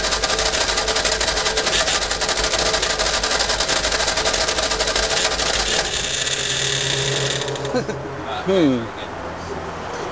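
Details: 1952 Fordson E83W pickup with 100E engine, stored since 1982 and freed from seizure (two stuck pistons, two stuck valves removed): long run of fast, even cranking that never fires, then dies away; cranks but won't start yet.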